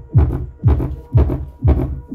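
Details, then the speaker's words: Kita-brand subwoofer cabinet: deep bass thumps about twice a second with a buzzy rattle on top, caused by the wooden cabinet panels coming unglued; pressing the panel stops the noise. "então não deu para ver que essa carta ela está descolada meus amores mas isso que eu lado aqui ó madeira dela toda descolada"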